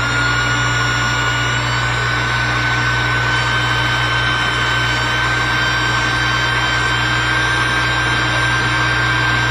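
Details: New SainSmart GS-775M spindle (rated 20,000 RPM at 24V) on a Genmitsu 3018 Pro, near 100% speed: a smooth, even high-pitched whine holding a steady note with no roughness or ticking; the motor runs cleanly.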